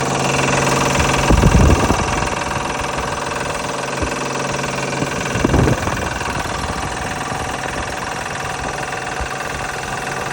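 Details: Honda Pilot V6 at idle: a fast, uneven rattle and knock over the engine note from a bad belt tensioner.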